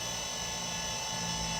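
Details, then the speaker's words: Compaq Portable III hard drive last used in 1997, set as type 2 in BIOS after reboot: steady high whine over low hum as the drive spins up and holds speed, detected but no system found to boot; possibly no operating system, not confirmed. "Yeah, it does seem to be detecting the drive properly. It just doesn't seem to find any system."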